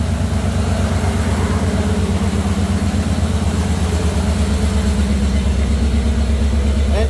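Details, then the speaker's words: Jeep CJ5 with Holley EFI, engine warm at 193°F before break-in: smooth steady low idle, no ticks or knocks; fan one on, timing, voltage and temperature good, oil pressure about 45 psi. "my electric fans looks like fan one is on right now fan two hasn't kicked on yet but the timing looks good voltage is good temperature is good"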